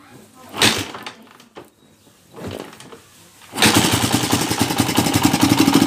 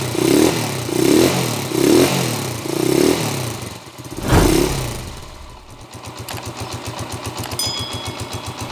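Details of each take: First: TMX 155 motorcycle brought in for overhaul over a noisy engine, before repair: after some handling noise it fires and runs with a loud, fast clatter of about four beats a second; a hole above a nut is leaking. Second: TMX 155 single after overhaul for a noisy, knocking engine: a few quick throttle blips, then an even putter at idle with no knocking; carburetor tuning still somewhat off. Normal running.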